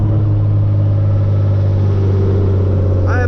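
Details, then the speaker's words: Hyundai Genesis Coupe, straight-piped with newly installed NGM headers: loud deep exhaust drone, then a brief chirpy warble when lifting off throttle around 2000 rpm; new, unexplained weird off-throttle noise, owner has no idea of the cause. "now and also when you let off the gas i don't know if you guys just heard that little noise that it makes but when you let off it like i don't even know man it just makes this new very weird sound it's only right around 2000 when you let off"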